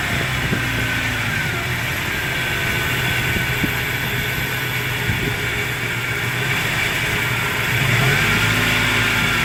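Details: 1999 Toyota Tacoma 3RZ-FE petrol engine at idle: steady high-pitched whine over the engine, holding pitch as idle barely changes; source unknown.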